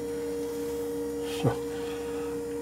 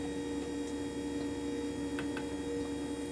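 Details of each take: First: 1978 Jeep CJ7 EV conversion, finished after repair: the electric drive motor, found out of balance in earlier work, now balanced. Controller on, motor spins up nice and smooth with a steady, even hum and no wobble. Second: 1978 Jeep CJ7 EV conversion, recorded indoors where noises sound amplified: the electric power steering pump whines with a steady mid-pitched hum. It spools down and gets quieter after a few minutes with no load.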